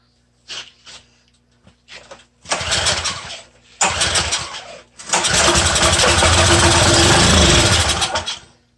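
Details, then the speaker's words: Small curbside-freebie engine gives a few pulls and two brief catches, then fires and runs a few seconds before cutting out and won't keep running; owner suspects a carburetor fuel-delivery problem needing carb work, unconfirmed. "I think we're gonna have to do some carbonator work on that one that one seems to have a fuel sucking problem"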